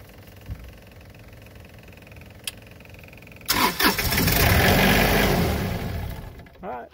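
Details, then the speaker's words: Cummins Onan 12.5 kW three-cylinder diesel RV generator (QD 12500) with an intermittent no-start for six to eight months, after the run/stop relays were replaced. Quiet, then it catches at once and settles into a steady, even diesel run with no stumble or misfire. Normal start. "it works now all we're going to do is give this thing how many months before six months so if we're gonna wait six months if it starts every time we'll consider it fixed"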